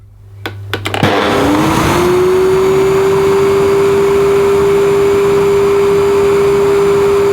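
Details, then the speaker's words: Electrolux The Boss Super Lite compact upright vacuum on full 1400 W: motor spins up within a second to a steady, even high whine; strong suction, nearly 100 inches water lift on gauge, similar to Tristar DXL at maximum; normal full-power running. "So quite a similar result to the Tristar on maximum, but considering the Tristar uses nearly half of the electricity, I think that's pretty efficient."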